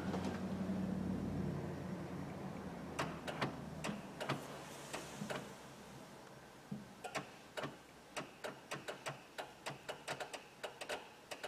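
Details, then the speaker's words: 1999 Honda Odyssey battery going flat overnight from a parasitic draw: light, dry clicks in a quiet car, uneven then about two per second, heard in the sliding door and further back, a relay cycling. "there's two noises and then it just ends up being a click and do you hear like a fool inside the door it's both it's both in the door in like back here oh it's way back there that's where the light clicking is coming from"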